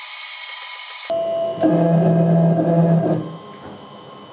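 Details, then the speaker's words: Old CNC router revived after two years stored, first homing of all axes: steady electronic alarm tone cuts in; fault from a trapped limit switch needing release and repositioning. "okay we have a fault there's a limit switch under here and um it's it's trapped so uh I need to uh release it and try and reposition it"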